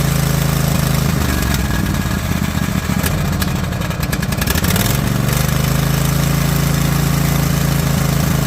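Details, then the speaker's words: Mower engine after refitting the valve spring, retainer and keepers and adjusting loose valves; steady even beat at constant idle with no misses, ticking or knocking; running smooth like a top, smoother than ever. "classify that as running like a top. We'll call that a victory. That sounds nice and smooth."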